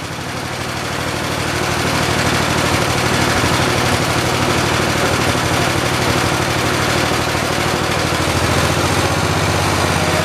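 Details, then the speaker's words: 1973 112 tractor with new points, coil, condenser and carburetor, throttled up: steady revs but stumbling about three uneven beats a second; persistent misfire under throttle, worse with clutch pushed; cause not confirmed. "Let me go on ahead and throttle it up for you guys so you can listen to it run. You can hear it. It's kind of got a miss to it. I don't know if you guys hear it or not, but I can."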